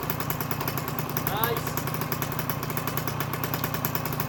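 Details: 1984 Honda MTX 50cc two-stroke on first start with a homemade exhaust from a 2004 Conti CHR: fast even crackling pulses, steady throughout; fires cleanly and runs evenly; some cylinder leaks noted.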